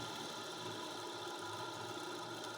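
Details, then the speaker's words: Homemade sander rebuilt from an old Soviet bench grinder motor, sanding oak under load: steady, even motor hum with a constant high tone, no dips or knocks; far quieter than the old drill and holds speed under load. "шумность давайте послушаем шумность Ну сравнение вообще никакого с тем что было"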